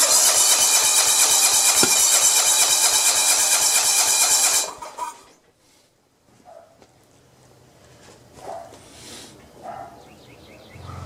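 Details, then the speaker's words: John Deere 170 mower with Kawasaki FC420V engine, strong spark now, cranks in a rapid even rhythm with a sharp pop, backfiring from exhaust and carburetor, then quits without starting; owner suspects intake valve not seating despite adjustment. "it's one of the backfires it seems like it came out from over here somewhere you know uh well let's see what it does"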